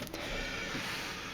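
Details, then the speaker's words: Salvaged CD/DVD drive number four on 12V-to-5V test rig, second power-up: short smooth motor whir as the tray loads, no clicking or stalling. Normal loading; owner suspects the earlier trouble was too much twist in the tray. "there it goes maybe I had too much um twist in the drive tray this one seems to be working pretty well"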